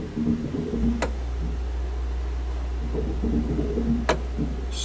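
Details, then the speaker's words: 1991 VW Transporter Doka double cab, electric conversion from 2013, under throttle: low motor hum with two sharp clunks, rubbing and won't spin up, RPM not registering; cause unclear, possibly encoder issue. "i'm going to give it some throttle so the motor is turning over and it sounds like something's rubbing clunk clunk but it doesn't want to spin very fast"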